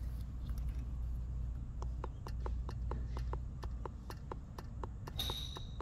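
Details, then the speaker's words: Porsche 991 Carrera S cooling system fault, solenoid powered with a test tool: crisp, steady clicks about twice a second over a low hum; this cooling solenoid works normally, unlike the other open-circuit one. "hear that noise that's that solenoid that solenoid there working"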